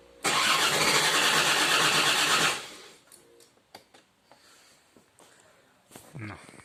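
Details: Land Rover Discovery II TD5 diesel cranking with an oscilloscope on the injectors and crankshaft signal: even cranking rhythm for about two seconds, then stops without firing; owner suspects fuel pressure, not confirmed.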